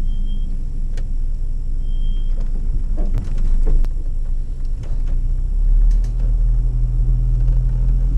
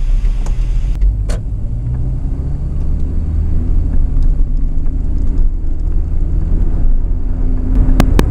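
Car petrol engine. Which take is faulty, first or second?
first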